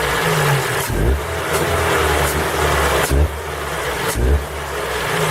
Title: Форд Фокус 3 PNDA стук на холодную